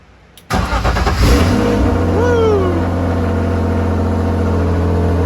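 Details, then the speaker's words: BMW E36 first start after head gasket replacement: catches after a quick crank and settles into a steady, even idle. No stumble, misfire, fuel leaks or exhaust leaks; normal idle. "good no fuel leaks no exhaust leaks no Miss fire listen to that idle woo yeah baby good"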